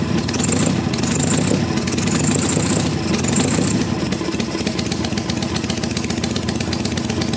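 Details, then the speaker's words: 1974 Harley XLH Ironhead Sportster V-twin, cold first start after sitting for years, ether used, about 90% choke: uneven, lumpy idle with a ragged, stumbling beat that won't settle; rough running, owner suspects the butterfly carb needs a rebuild. "So, it runs. Doesn't run the best, but it does run. Probably needs a carb rebuild."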